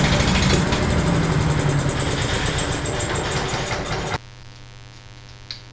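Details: Honda-engine blower that came in not running, after diagnostics, fresh fuel and repair: small engine buzzes at an even, steady pace about four seconds then is cut off; runs clean with no misfire, normal running.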